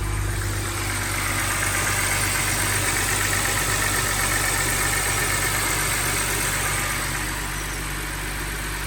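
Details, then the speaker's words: BMW E90 325i N52 engine at cold start after an O2 sensor wiring repair for rough idle: steady, even idle with a smooth hum and no stumble or misfire; normal cold idle. "The car is running good so far. Let's see if it warms up and it starts misfiring or not."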